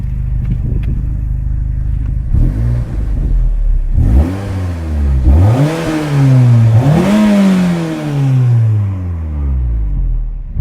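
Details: Peugeot 206 GTI 180, 107,000 miles, a suspected anti-pollution fault showing: engine climbs cleanly through several free revs and drops smoothly back to idle, no knocks or rattles; sounds healthy.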